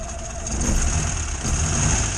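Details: 1962 Morris Minor on a cold, damp day, running on a 12V ignition coil found in the shed: a lumpy, uneven idle with a stumbling low beat. It misfires from the failing coil.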